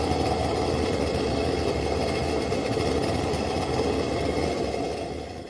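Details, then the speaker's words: Old Wenzel kerosene lantern, first burn after cleanup: after its jet was cleaned with a tip cleaner, the rapid preheater gives a steady, even roaring hiss that fades at the end, burning cleanly. Owner thinks it isn't aimed well at the generator. "I'm definitely not a fan of that rapid heater. I don't think it's pointed quite enough toward the main part of that generator."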